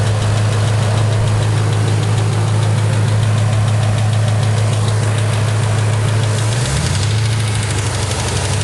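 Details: Deep steady engine idle with a light regular tick about three times a second; collapsed lifter or bent pushrod suspected, not confirmed: ticking at idle.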